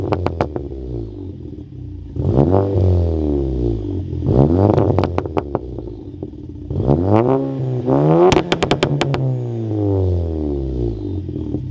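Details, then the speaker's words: 2017 VW GTI S, TPC20 ball-bearing turbo with Garrett internals, catless downpipe, custom 3-inch catback exhaust: revs climb and fall twice with a rising whistle over the exhaust on each pull; normal, quick-spooling turbo. "this tpc20 uses some garrett internals this thing it makes some nice spoolie notes spoolie noises i will go ahead and say that it does spool up quite nicely and it just sounds really good"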